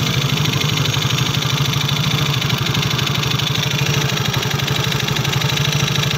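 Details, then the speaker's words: Yamaha Soul GT scooter brought in for noisy engine, oil found almost empty after three months without an oil change: fast, busy mechanical clatter over a rough idle, harsher than normal. "kali ini ada pasien Yamaha Soul GT untuk belahan motornya dari suara mesin berisik guys Coba kita dengarkan suaranya"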